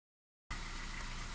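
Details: 2010 Kia Ceed 1.4 MPI petrol at idle: after brief silence, deep slightly uneven chug from ignition misfire; fixed by replacing ignition coil and spark plug.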